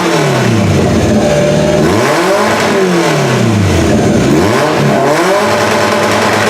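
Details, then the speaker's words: Toyota Camry engine swapped into derby car with EGR delete and simple new wiring harness: loud heavy blubbery revving; sounds like over-fueling, cause unknown, owner suspects something missed. "So it still sounds like it's over fueling, and it's probably because I'm missing something, but I haven't really clued into what I'm missing yet."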